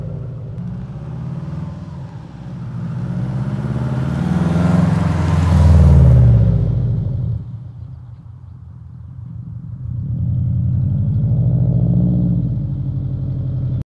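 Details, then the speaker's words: Bugeye Subaru Impreza WRX STI UK model with EJ207 turbo engine, rebuilt after big-end rod bearing failure, full 3-inch Blitz exhaust with unequal-length manifold: smooth deep boxer burble swelling with revs, no knock; normal engine running. "So, exhaust system, full 3-in blitz, nurse spec, and it sounds lovely. Uh, typical Subaru noise, uneven exhaust manifold, typical Subaru blue with the gold wheels."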